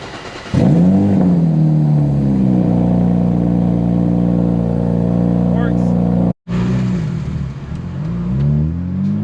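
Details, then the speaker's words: 2009 BMW E82 135i N54 six-cylinder, just after installing new two-step colder NGK spark plugs, test before reassembly: engine catches, flares briefly, settles into a smooth, even idle with no misfire; running healthy. "Before putting it back together, it's always kind of nice to turn it on and make sure that it works."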